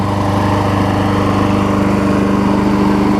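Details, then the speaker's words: Briggs & Stratton Quantum push mower after carb cleaning, warm after about 10 minutes running; running great with slightest tinge of smoke. Smooth, even drone at steady speed, no misses, surging or rattles. Normal running. "Running great. It does have the slightest tinge of smoke on it though, so we're going to go back in there and hit the Southland mower next, and I'll show you what the pull rope looks like on it."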